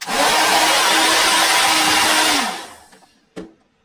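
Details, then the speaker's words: Older hair dryer before repair, not heating well: steady low hum under air rush, spins down quickly when switched off; hair caught around the fan in the middle, motor dry and needing oil. "And once you take it off, if you look on the inside there, right on the inside, right there between the fan, you can see there's hair that's caught right in the middle, so we're going to go ahead and remove that."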